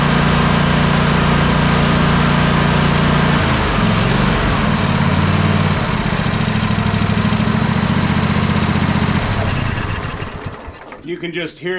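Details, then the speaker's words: Troy-Bilt zero-turn mower twin-cylinder engine after replacing bad ignition coil: smooth, even drone with steady beat and no misses, then clean wind-down at shutoff; both cylinders now firing. "difference as the as the mower is running that both cylinders are now working I can unplug this one and show you guys that that one is in fact working but you can hear it just in the in the noise of this"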